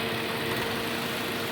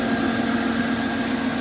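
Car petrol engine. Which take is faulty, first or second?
second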